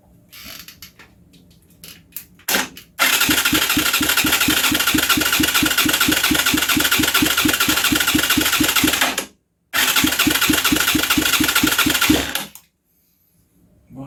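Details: Huaniao HN125 Chinese motorcycle, in neutral: fast even starter chatter about two beats a second, cutting out and repeating, but the single-cylinder never catches; cranks, no start.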